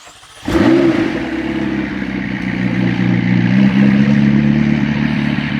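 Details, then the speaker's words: McLaren 650S, feared blown engine or overfilled oil, restarted after sitting a long time with fresh fuel added: it settles into a steady, even, smooth idle with no hunting or misfire, and the RPM gauge twitches less; running smoother. "That's running a lot smoother. Is it? As far as, yeah, the RPM gauge isn't twitching as much."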